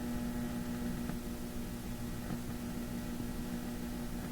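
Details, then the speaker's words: Philips Sonate BA581A vacuum tube radio with a better antenna, weak reception possibly from tubes: steady hum with sharp crackles and pops every second or so; suspected faulty mica caps in the IFs, not confirmed. "still doing lots of funny things isn't it static crashes uh it almost sounds like those uh mic caps you find in ifs uh that tend to uh give trouble on some radios"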